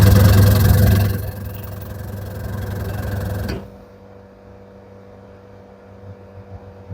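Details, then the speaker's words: Candy semi-automatic twin-tub washer: loud deep steady hum from the wash motor with little spinning, then it cuts out, motor overheating; capacitor not at fault, bush getting stuck; washer motor stalling. "Now you can see the problem is getting stuck motor. See, it's too much heating motor."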